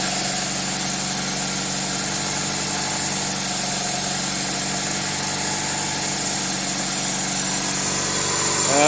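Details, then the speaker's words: 2000 Toyota Celica GTS 2ZZ with the throttle cable disconnected and throttle position 11–12%: steady, even hum at an elevated 1400 rpm idle with no hunting. Extra air is getting in from somewhere; owner suspects the idle air control valve or a vacuum leak. "no throttle cable you can see the RPM seem to have increased to 1400 RPM"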